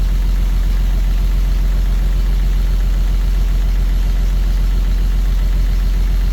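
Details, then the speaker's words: 1934 Chevy 4-door sport sedan barn find, first start in 23 years, radiator leaking: steady low rumbling idle with revving, smooth and even with no knocks or misses; possibly a slight lifter tap suspected, otherwise runs very well. "wow that thing runs fantastic I can't believe how good that thing runs listen to that thing that's unbelievable"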